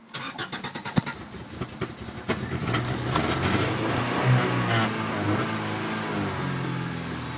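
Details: Honda Civic EG D16Z6 cranks two seconds unevenly, barely catches, then stumbles at a rough unsteady idle and stalls; new plugs, timing belt, fuel pump and oil level OK; owner suspects distributor spark timing.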